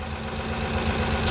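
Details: Kia Carnival 2.7 LPG engine brought in for suspected tappet noise: rough idle with dull hollow knock that grows louder as one ignition coil is pulled in a power-balance test, indicating piston slap rather than tappet.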